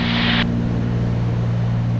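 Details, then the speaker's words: Twin-engine airplane in cruise with props well matched in rpm: steady low drone with no slow wha-wha throb or beating between the engines, so the propellers are synchronized. "two things one I try to keep them matched best I can like right now they're really well matched right there"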